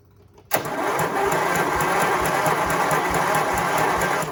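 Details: Briggs small engine cranking with fuel pump running and jump pack: uneven cranking at about three pulses a second with audible compression thumps but no firing; owner feels it isn't turning over fast enough.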